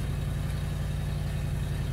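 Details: 2011 Ford Crown Victoria after crank-no-start: deep, even idle with steady low rumble, no misses, knocks or ticks; running smoothly.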